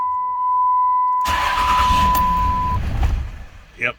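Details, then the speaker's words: 2006 Dodge Ram 2500 Cummins 5.9 diesel, 225,000 miles, hard start: after the chime it fires, runs rough near 400–500 rpm for about two seconds and stalls; suspected faulty fuel control actuator (AFC) on the injection pump. "Yep, it goes to about 500 and craps out. It might take this time, but probably not. We're at 400, 400, 400, and finally made it to 750."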